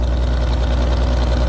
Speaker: I went full choke. I guess it really wasn't flooded, but I went full choke and it fired right up.